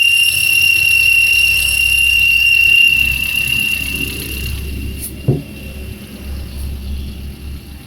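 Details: Opel Corsa C at quiet idle: a steady high-pitched squeal holds for about three seconds then fades, taken as accessory belt squeal; slipping belt suspected, not confirmed.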